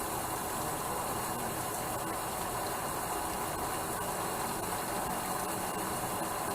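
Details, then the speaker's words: 1996 Sea-Doo SPX 717 two-stroke PWC (owner says possibly a 1995) running on premix: a steady hiss of cooling water spraying from a fitting missing its O-ring; a replacement O-ring was taken from a 650 head. "so reason we got water pouring in here and don't want to spray over in the intake I think the o-ring is missing on the little spout here that will cause the water to spray everywhere"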